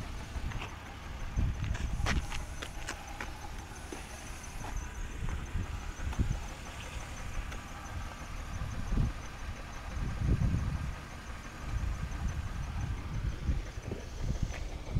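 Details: BMW E36 328i at idle with an OBDII code, hesitating and losing power through the rev range: rough, lumpy idle with irregular low thumps; misfire suspected from low fuel pressure or the O2 sensors, not confirmed.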